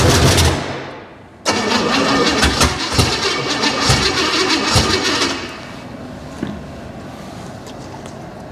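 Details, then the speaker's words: Junkyard 305 V8, carburetted, first start with lifters found collapsed, premium fuel: cranks and catches, then blips unevenly and sags on throttle instead of picking up cleanly; carb accelerator pump not working, oil pressure present, more timing suspected needed. "we definitely have no accelerator [Music] pump she got oil pressure it's not making crazy terrible noises"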